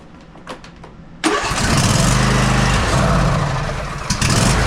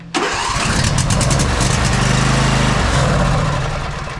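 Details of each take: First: Husqvarna YTA24V48 tractor with 24 HP Briggs & Stratton V-twin that sat all winter and wouldn't start; after clearing old gas it catches with quiet clicks and settles into a steady, even low run at about 220 pulses a minute, no misses. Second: Husqvarna YTA24V48 tractor, 24 HP Briggs & Stratton V-twin, sat all winter: engine catches on starting fluid, runs seconds unevenly, then dies; fuel problem, fuel solenoid felt no click.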